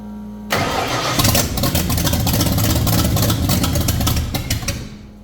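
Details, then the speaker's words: 1989 Ford Fox Body with carburetor, after fuel finally reached the front float bowl: engine catches on first crank and settles into an uneven, lumpy, hunting idle, struggling to stay running. Rough idle after fuel delivery fault. "all right so there's a little update we do actually have it trying to idle now"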